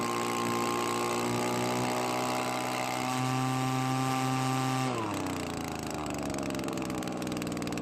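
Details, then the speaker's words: Well-used Echo two-stroke leaf blower, previously dying after a minute, treated with Marvel Mystery oil: thin buzzing note holding then sagging in pitch as the carburetor mixture is changed, very low on power; low compression, weak running. "well the blower works but it is very low on power as to be expected"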